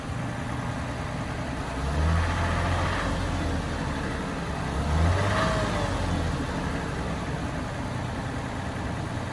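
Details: Toyota 4Runner 4.0 engine, cold only: two revs rising and falling with a faint rattle that gets faster with revs; owner suspects piston slap, unconfirmed.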